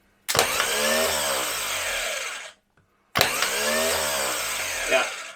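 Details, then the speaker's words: Jaguar XJ12 V12 starter (the one that was on the engine) bench-tested before fitting: two short bursts of clean whir spinning up fast, winding down smoothly, no grinding; healthy, previously cranked engine fine during compression test. "that sounds better. That's actually, and I know it does crank because I've done a compression test on that and it cranked the engine over, no problem at all."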